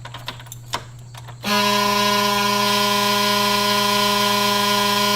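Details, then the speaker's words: 2000 Chevy bus at key-on: quiet cab, then a steady harsh buzzer holds unbroken and the engine won't crank; owner thinks it sounds like the back-door-open warning, or a dash switch blocking start; warning buzzer, no crank. "I know the bus won't start if the back door is open and that noise sounds like the noise that you give when the back door is open"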